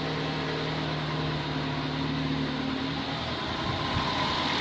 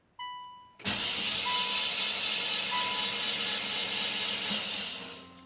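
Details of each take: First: Nissan Sentra first startup after head gasket job, water pump and alternator not connected, run briefly: steady low hum with even beat, no knocks, misses or ticking; smooth, quiet, healthy idle. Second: Nissan Sentra after head gasket job, cranked with spark plugs removed to build oil pressure to the head: starter spins fast and evenly about four seconds, free whir with no compression beats.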